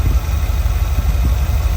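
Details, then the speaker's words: Small-block Ford 5.0 V8 in a van with newly installed Pertronix electronic distributor, warming up; low even idle about 600 rpm, about 18 inches of vacuum, choke roughly off, no misses or knocks: normal idle. "About 18 inches of vacuum right now. About 600 RPM with the choke roughly off."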